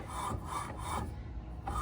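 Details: Honda ADV 160 after a hard ride from Kuantan to Shah Alam: repeated dry rasping scrapes in short bursts. The CVT rear clutch is rubbing against its bell and the rear pulley feels tight.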